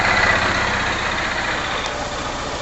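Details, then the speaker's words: 2011 Honda Titan CG 150 that wouldn't start on the electric starter because of dirt on the positive battery terminal. After testing, it starts quickly and settles into a steady, even idle with no misses. "agora acendeu agora ligou rapidamente então o problema aqui realmente está aparecendo se esse excesso de sujeira aqui no borne Positivo da bateria"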